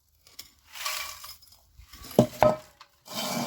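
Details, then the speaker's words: 1996 Land Rover Discovery exhaust, muffler being shaken: loose metallic clinking and rattling in bursts because all the internal baffles have collapsed; the muffler is to be replaced in a cheap DIY exhaust repair. "All the baffles inside have collapsed. Now this truck has a little muffler there, which is no more."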